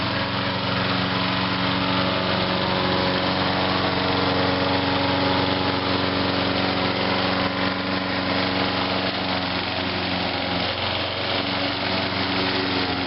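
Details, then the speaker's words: 2003 Huskee by MTD 22" self-propelled mower run dry for winter storage, after about 10 minutes of running: steady buzz that starts to hunt and waver near the end; surging from fuel starvation as the tank empties. "Yep, she's surging now. Alright, finally, after about 10 minutes."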